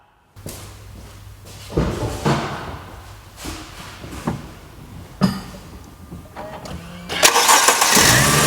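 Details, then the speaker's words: Mercedes with a hot no-crank fault, cold start before warm-up: several short cranking bursts, each catching promptly into a steady idle; no problem starting when cold, as the customer reported. "as you could see absolutely no problem when this engine is cold just like the customer told us"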